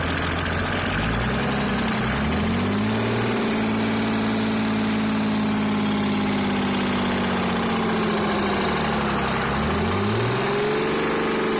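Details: Mercedes-Benz W463 with OM603 turbodiesel revved twice, a strong steady knock under the clatter that quickens with revs and disappears with clutch pressed; started after oil loss; oil pressure and bearings OK, loosening injectors didn't help.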